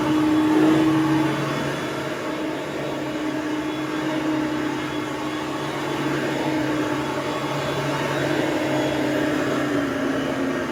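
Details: Hoover Platinum UH30010 upright vacuum after cord replacement and service, running on carpet: steady mid-pitched motor drone with gentle brush whir and slight pitch sway; running smoothly and healthy.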